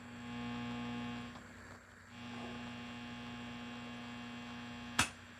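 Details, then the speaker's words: Mesa Boogie Triple Rectifier Solo guitar amp head, channel-switching fault fixed: steady low 60 Hz buzz with a bright edge under everything, unchanging; pervasive mains hum in the preamp, source not yet found. "Quickly fixed that, but now there's a pervasive 60 hertz buzz present in the preamp."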